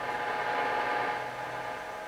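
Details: 1963 Motorola AT25BN AM radio during alignment, signal generator set near 600 kHz, volume up, before tuning in the signal: steady hiss of static with a faint whistle and no station coming through.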